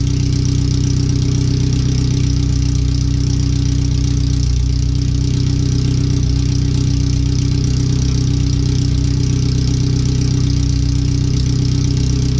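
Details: First startup after replacing header, fuel filter and differential bushings/seals, O2 sensors moved: very loud, deep, raw idle with steady even pulse, no muffling, exhaust open straight out of the header; computer read 5–7% rich at idle in closed loop.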